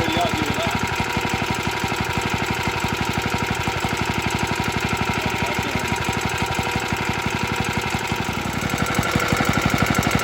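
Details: Very early 1954-55 Suffolk Iron Foundry Model 1A single-cylinder engine, cold, original carb needs cleaning: quick steady firing about four beats a second with loose metallic rattle each stroke; rattly, cause unknown.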